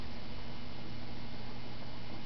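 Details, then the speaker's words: 1956 Webcor half-track mono tape recorder with record engaged, camera close to the machine, spindles turning: steady low hum with faint even tones, no knocks or scraping; normal motor hum. "And here you can see you can see the spindles turning and you can hear a kind of hum coming from it if you put it close if you put the camera close to the machine."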